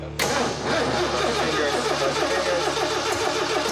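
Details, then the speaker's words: Freshly rebuilt engine in a 1981 Jeep CJ7 on first start: it catches, then a lumpy, loping, uneven idle. Timing is suspected, but advancing the distributor didn't fix it, so the cause is unconfirmed: rough running after start. "sounds like a good time he's up nothing's spitting out of it yeah it sounds like he's out of time though huh a timing issue"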